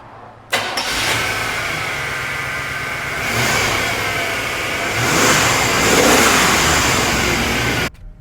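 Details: 1997 Chevrolet 1500 5.0L that died while driving, after replacing the failed fuel pump (was only 20 psi) and filter, pressure now about 60 psi spec: catches quickly after brief cranking, revs smoothly twice and returns cleanly.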